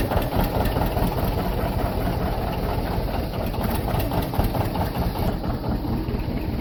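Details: John Deere 730 two-cylinder diesel, rebuilt water pump, first start in about 8 years after sitting in a shed: slow, heavy, low putt-putt at idle, strong and without misses; the old twin is running well, a normal idle.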